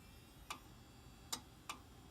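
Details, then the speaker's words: Dell Dimension 3100 with a 160 GB Western Digital hard drive just installed: sharp uneven clicks, about three in two seconds, over faint hum; hard drive clicking, owner suspects another bad drive. "you're that it's very clearly the hard drive and probably another bad hard drive but for a different reason"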